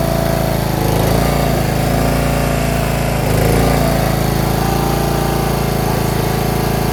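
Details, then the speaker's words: John Deere RX75 rear-engine riding mower, first start after ignition switch replacement and reassembly, choked, in neutral: steady, even buzzing idle with regular beat, no misses or rattles; normal idle, running well. "We got it all figured out. It's running! It's running well."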